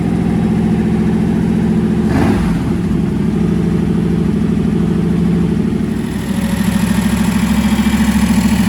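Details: First fire-up of freshly swapped 335hp supercharged Ardun flathead V8 in 1932 Ford Roadster, magneto ignition: deep lumpy idle with one quick throttle blip settling straight back; runs smoothly, though an AN oil fitting at the pressure-gauge line leaks.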